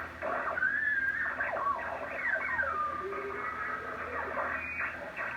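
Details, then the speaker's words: Drake TR4 ham transceiver with noise blanker, serial 81037, on 40 meters while tuning lower across AM stations: garbled audio with whistles sliding up and down over hiss, mistuned; the owner suspects a rod and did not have this fault originally. "Okay, go lower. AM station. More AM stations. So my tuning here is messed up. You can hear that."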